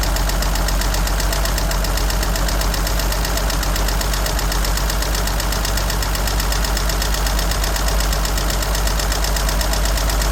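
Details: 1963 Jeep Gladiator at a steady idle: a fast, light top-end tick that keeps pace with engine speed. Oil is very dirty and two quarts low, and the battery drains quickly. Source not pinned down.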